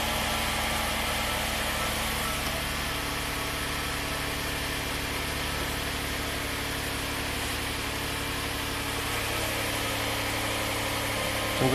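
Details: Hyundai SUV after replacing the faulty bank 2 intake cam phaser (timing chain left as is): engine started with no trouble codes, steady even idle with a smooth low hum, no knocks, misses or rattles, fuel trims single digits; repair verified, sounds healthy.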